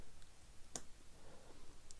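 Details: 1936 Crosley Model 516 Fiver radio switch after repair with a new detent ball and sewing machine grease: one crisp sharp click as it snaps into position, then a fainter second; normal detent click.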